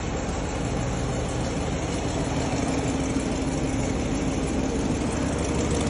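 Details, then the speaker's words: RAM Hemi V8 idling with loud, fast sharp ticking over low rumble from the driver's side; exhaust leak from a cracked driver's side downpipe to catalytic converter; rear right resonator and exhaust tip also damaged. "Customer complaint loud ticking noise from the driver's side. How did the driver's side downpipe to the catalytic converter crack?"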